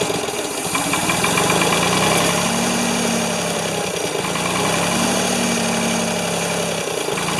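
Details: Ford 2600 tractor started on choke with a little gas, flooding with too much fuel: idle lopes unevenly about four beats a second with sagging, stumbling pulses; puffing from the intake, owner fears number one intake valve stuck again.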